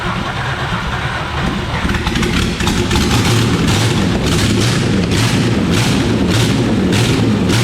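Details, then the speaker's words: Holden VT Commodore that sat in a paddock for years, first start after its finger-tight spark plugs were found: catches and runs with an uneven, lumpy idle and irregular pulses; owners think it needs a fuel filter, cause unconfirmed; rough running. "she runs mate he we're done tomor yeah I think we need a fuel filter she fired up though that's a start"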